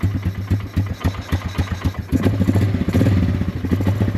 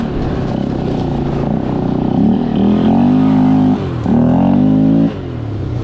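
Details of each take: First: Polaris Scrambler 500 barn find, sat 10 years, running without air filter: slow, lumpy single-cylinder thump at about three to four beats a second, smoking a little; idle set too low, needs adjusting. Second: Polaris Scrambler 500 four-wheeler, single-cylinder, barn find that sat 10 years, running after getting fuel, ridden without front end: engine revs cleanly through throttle pulls, pitch rising and falling smoothly, no misses or knocks; normal running under load.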